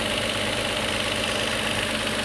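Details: 2022 Toyota Avalon with rough idle and misfire codes: after the intake was refitted, the engine is restarted to see if the misfire moves cylinders. At about 1000 rpm with the A/C on, it stumbles with a lumpy, uneven idle and strong vibration; the misfire moved to cylinder one, blamed on faulty injectors.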